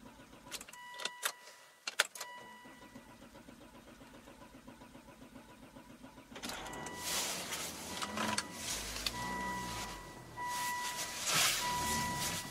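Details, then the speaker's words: Mercedes that keeps dying after starting, anti-skid service required warning showing; starter cranks in short bursts, engine catches and runs briefly, then dies and is cranked again; stalling after start, cause unknown. "right so it dies then it starts and then it dies and then it starts this dies and starts died again"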